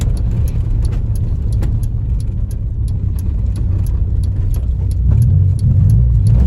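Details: Honda Civic EJ9 automatic, driver's point of view while driving, misfire codes 71-74 on all four cylinders: deep rumble under way with uneven thumps and stumbles breaking the rhythm as it pulls.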